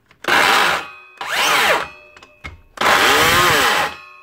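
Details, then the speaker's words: DeWalt 54V DCS577 circular saw, three short no-load bursts: harsh gritty grinding with rough wavering whine, only sometimes; suspected bearing, a failed bottom motor bearing (standard 6002) replaced. "it's either aarian or a gear of course she only making that sound sometimes and not all the time I'm going to say it's probably a bearing"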